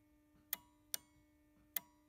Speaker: as you can hear the relay is clicking